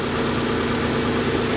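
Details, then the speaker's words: Salvage-auction car with aggressive exhaust, a little blue smoke and an oil smell, alternator charging at 13.5 V, timing belt suspected overdue: steady, even idle with a smooth exhaust note, no knocks or ticks; runs well and quiet. "but it runs good though it does it runs really well it's nice and quiet"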